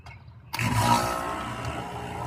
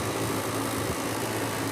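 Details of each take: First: Home AC outdoor unit, previously off compressor being fired up while checking inrush amps: silence, then a sudden start into a steady low hum with even fan whir; compressor and condenser fan running normally, inrush 120 A. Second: Home AC not cooling, house near 80°, outdoor unit at about 79° ambient: steady fan whoosh and airflow hum with no compressor drone or refrigerant flow; only the condenser fan runs, compressor off.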